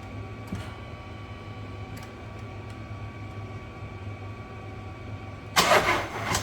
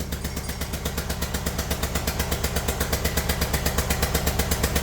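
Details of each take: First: Kia Sportage 1.7 diesel after cleaning injectors, new copper seals and a new rocker cover: short crank, catches cleanly and settles into a steady, even idle clatter with no misses or knocks; afterwards a fuel leak at injector 1 is fixed by clicking its clip in. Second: Kia Sportage 1.7 diesel at idle, oil and dirt over the engine: sharp regular chuffing puffs, about nine a second, pounding over the idle like a tractor; one injector seal blowing, fixed by cleaning injectors and new copper seals.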